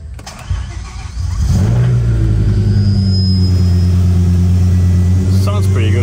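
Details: Start and idle of a BMW E60 M5 V10 after installing VANOS solenoids and reassembly, engine not yet at operating oil and coolant temperature: cranks briefly, catches cleanly, settles into a steady, even idle with no stumble or miss; normal start and idle.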